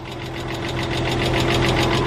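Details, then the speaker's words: Porsche 986 Boxster S flat-six at idle on first start after sitting 10 years, with fast even metallic tapping about eight a second. Suspected dry hydraulic lifters, which usually quiet after 5-10 minutes; the car was listed as having mechanical engine damage. "if a boxer sits for a few months or a few years you will hear this distinct like tapping knocking noise and it sounds like your engine's about to blow"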